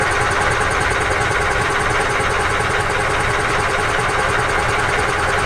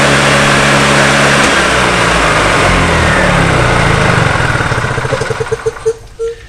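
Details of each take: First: Old EZGO gas golf cart engine after carburetor work (it had run only with the choke out): rapid, uneven chugging about 2.5 beats per second, catching and faltering while cranking to fill the bowl, with a leaking junk fuel line. A hard, sputtering start. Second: Old EZGO golf cart single-cylinder engine after carburettor rebuild, previously running only on full choke: runs steadily without choke with a clean even beat, no stumbling or surging, winding down smoothly at shutoff.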